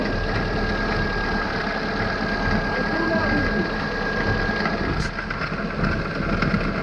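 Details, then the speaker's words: Kia Picanto, heard from a pit while turning: uneven crunching and crackling from a worn outer CV joint, loudest when turning left, while from inside the car the sound seems to come from the left side. "но когда сладишь яму там четко слышно что наружний шрус хрустит вот так вот"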